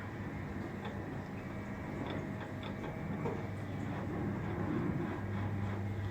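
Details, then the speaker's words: Spindle of a disassembled machine turned by hand: faint irregular clicking and a rough rumble, with play along the quill line; the owner suspects flat spots in the bearings, unconfirmed. "so I'm just pulling this mole apart and I just want an opinion on but with the bearings of facts which I think there was some flat spots is I turn"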